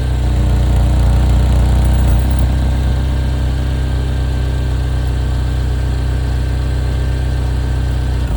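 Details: Chevy Equinox at steady idle, quick even puffing tick about four per second over the engine note; the model's well-known exhaust leak.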